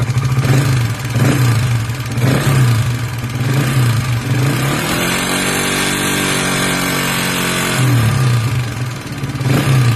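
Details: Honda Sonic 125 motorcycle, hard to start and won't rev, with worn cam and rocker and a scored piston, just reassembled on a low budget; idles and revs with loud harsh top-end valvetrain clatter from the worn rocker arm and cam.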